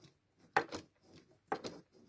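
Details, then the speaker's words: Cambridge Audio Azur 540C CD player: the dry carriage lift mechanism gives two short scraping, squeaky bursts as the CD carriage moves; it squeaks and grinds for lack of lubrication and needs greasing, and paste will be added. "ale muszę ten Switch jeszcze wymontować i z powrotem wózek składam ten cały mechanizm podnoszenia wózka wymaga smarowania"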